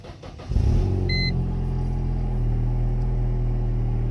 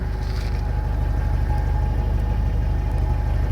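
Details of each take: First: Mercedes SLK 230 after adding an extra muffler and steel wool in the rear muffler, idling: deep, loud booming rumble, too loud; owner suspects an exhaust leak, seemingly from the rear side. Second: Mercedes SLK 230 idling after an exhaust leak near the rear muffler was sealed (extra muffler and steel wool added earlier): a steady even low exhaust pulse with no hiss or puffing between beats. Leak noise gone, normal idle.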